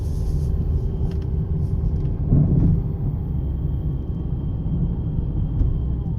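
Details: 2009 Jeep Compass 4x4, recorded from the cabin over bumps: low road rumble with one heavy thump from the front floor area; suspension checked fine, cause found to be worn sway bar links.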